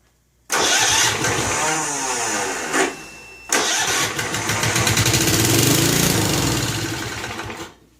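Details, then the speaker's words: Snapper Hi-Vac commercial mower, around 1988, Robin/Wisconsin engine, on choke with gas squirted into the carburetor: two long chugging starter bursts, never fires; owner suspects fuel isn't reaching the carburetor through the fuel line. "It's like it's just not getting anything in there. My needle. Trying to just shove it down the fuel line, but acts like it's not getting in there."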